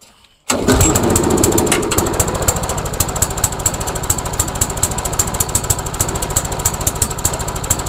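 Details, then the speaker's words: MTD Yard Machines mower, small single-cylinder engine with replaced carburetor and gas tank, after priming: fires then runs uneven and lumpy as if heavily choked; owner wonders if governor is bad, cause unconfirmed. "weird it's almost like it's choked like crazy H I wonder what would cause this this is bizarre"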